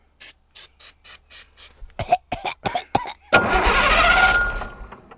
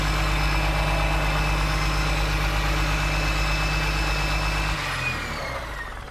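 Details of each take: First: Diesel engine, injector lines cracked loose to bleed air: starter spins in even bursts about three per second, one rough cough that never catches; no fuel reaching the injectors. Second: John Deere 6068T diesel from an abandoned machine, started without starting fluid: steady, even low idle with smooth rumble and no misses; healthy engine.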